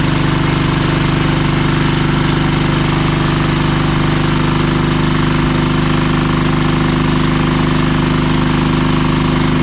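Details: Marketplace diesel generator of unknown condition, tested after reassembly: steady, even chug with firm low rumble, no knocks or misses; engine runs well but generator still makes no power, more digging needed.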